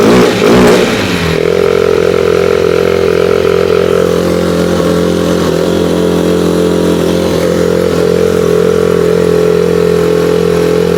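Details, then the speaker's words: 2008 Polaris Ranger 500 UTV; bad fuel or a bad fuel pump suspected, unconfirmed. Uneven, lumpy idle with a wavering drone and a faint clatter on top. Rough running. "Doesn't exactly sound good. That's a start. That is a start."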